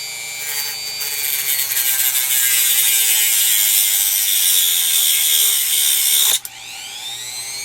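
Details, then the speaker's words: Chinese replacement rotary tool with a Dremel grinding bit cutting a metal computer slot cover, starting at lowest speed and then ramped up, with sparks flying. The high whine holds pitch without bogging, then the motor cuts off and spins down. Normal cutting. "let's ramp that up a little too much Europe now we got some sparks flying that cut a nice Groove in there did it slow down or bog down just like the Dremel would exactly the same"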